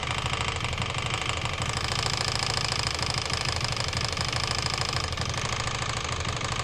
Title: стук в двигателе